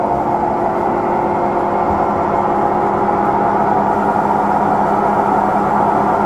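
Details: Samsung drum washing machine on spin, same noise returned a year after a replacement unit was issued for it: steady hum with a sustained mid-pitch ringing tone, no knocking; abnormal spin noise, cause unknown.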